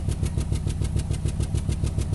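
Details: 2008 Nissan Rogue with P0300 misfire, before repair, at idle: exhaust pulses chuff unevenly about six or seven times a second with a lumpy, stumbling beat; misfire from failing ignition coils and spark plugs.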